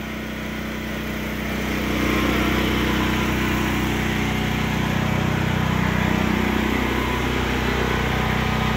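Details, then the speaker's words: Predator 8750 gasoline generator in enclosure shed, over 2 years after install, full tank, exhaust fan running, just started: even steady drone with firm low throb, no knocks or misses; running smoothly, shed partly reduces noise. "And there it's running. This shed does a lot of help with the noise cancellation. I mean, it's not completely making it quiet, but it is helping reduce some of that noise."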